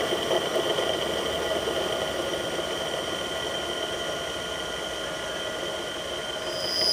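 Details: Millport/Bridgeport mill motor with bearings 6206Z bottom and 6205-2RS top: steady high-pitched whine with a rough, gritty edge over the motor hum; rusted, worn out bearings.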